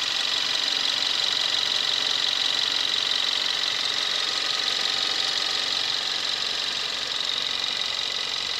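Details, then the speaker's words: 2017 Kia Rio 1.6L inline-4 GDI, about 10,000 miles, just started: even, fast light ticking over a smooth idle that settles a little quieter after start; normal engine sound. "This is a 2017 Kia Rio with a 1.6 liter inline 4 engine. Just started up and you'll hear the engine quiet down."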